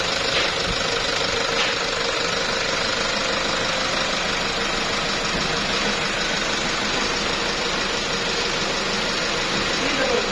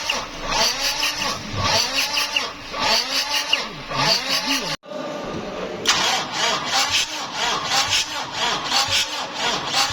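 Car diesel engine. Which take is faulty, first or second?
second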